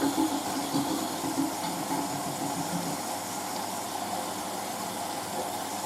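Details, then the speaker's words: Hotpoint 9530 Electronic 1000 Plus washer on Programme 4, 50ºC Coloured Synthetics, polyester/cotton load, going into the first rinse: steady rushing water through the plug hole over a soft pump hum; normal drain. "That's the plug hole you can hear doing that, by the way. Basically, machine fills and then the pump comes on."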